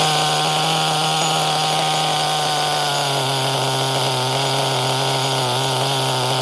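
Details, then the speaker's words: HPI Nitro MT 18SS RC truck nitro engine on refire: steady high buzz sagging and burbling as it settles; mixture running rich, idle dropping low and can't be raised without the 1.5 mm idle set screw, which isn't on hand. "Yeah, she rich. So this thing has a 1.5 millimeter set screw for the idle. I didn't bring it, so can't raise the idle. The idle's dropping a little low."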